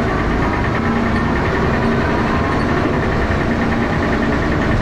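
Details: Diesel bus engine (First Manchester Dennis Arrow, fleet 31923, P423PVW) at idle, loud thrash with a steady heavy knock running through it; engine knocking, cause not identified.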